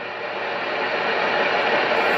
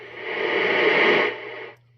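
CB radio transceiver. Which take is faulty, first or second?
second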